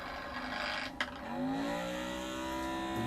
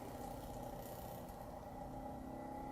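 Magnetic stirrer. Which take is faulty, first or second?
first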